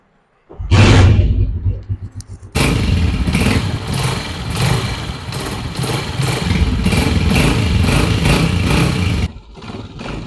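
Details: 2023 Honda CG 125 single-cylinder engine, previously complained of abnormal engine sound, after repair and refitting the magnet plate: fires up, a couple of throttle blips, then runs steadily with an even beat and no loose rattle. The engine sounds healthy.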